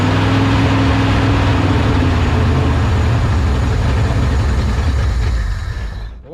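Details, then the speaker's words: 1970 Ford F-250 field find on first start: the engine fires with a rough uneven low rumble, then sags and dies within seconds; owner suspects the carburetor float, then finds it is not getting fuel. "it just doesn't like to keep running does it I think we need some might even be the float folks"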